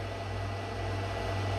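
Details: Microwave heating water for one minute on a KRXNY 2000W pure sine wave off-grid inverter (48V DC to 120V AC 60Hz), with a reading of about 2500 watts; steady even hum with low mains buzz, no rattles or surges, normal operation.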